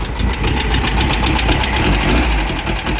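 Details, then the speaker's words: Baja Bug with a poorly running 1776cc air-cooled VW engine, valves way off and needing adjustment; loose uneven ticking clatter over a lumpy idle, about four a second; valvetrain clatter. "already started, it sounds like. When we started over there, fucking valves are way off."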